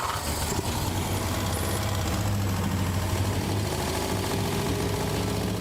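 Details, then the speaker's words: 1960 Mercedes-Benz 190B four-cylinder, sat since 1972, after multiple repair attempts and mini overhaul: steady even running, constant low rumble, no knock or miss; engine finally running healthy. "After multiple repair attempts and a mini overhaul, the engine is finally up and running."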